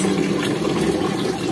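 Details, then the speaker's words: Instant gas geyser after replacing weak batteries: water valve opened, a tick, then the burner lights; steady soft roar with water rushing and no repeated ticking; the magnetic valve now opens and the burner runs normally. "अब हम इसको check करेंगे ये वाल खोल दिया अब आप देखि टक की आवाज आ गई और ये आपका बर्नर ये खुल"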